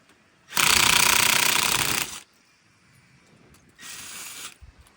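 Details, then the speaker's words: Car tire rotation, cold day: cordless impact wrench on a lug nut hammers steadily about a second and a half, then a short feeble burst dies off; it fails to break the nut loose, owner suspects a dead battery. "The gun is like dead. Maybe my battery's dead, that's why."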